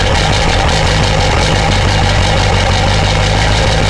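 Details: 2000 Ford 7.3 Powerstroke diesel cold start at about 7–10°F in Wisconsin: heavy low diesel clatter settling into a steady, even idle with no hunting or lope, white smoke; normal cold idle.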